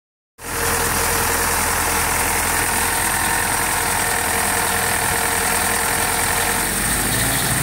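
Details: Willys CJ2A old four-cylinder engine idling steadily: a light, loosely regular tapping rides over the exhaust; possibly an engine knock, but the source isn't clear.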